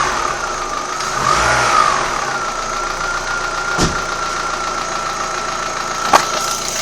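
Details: Old Opel Astra G engine at idle: steady idle with a fast, uneven ticking knock riding over it and a faint whine; knock source unknown.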